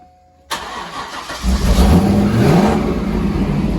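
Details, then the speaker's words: Corvette C5 with manual gearbox, 1990s non-runner, after installing a replacement PCM/ECU: V8 starter catches at once, engine fires, revs briefly and settles into a steady, even idle. Normal start and idle; fuel pump still not switching on. "go and give it a ref sounds right there right then turn it off so go on sounds good doesn't it it just it does sound good sounds Mega um and I'm glad to say that the engine sounds nice yeah it sounds Mega"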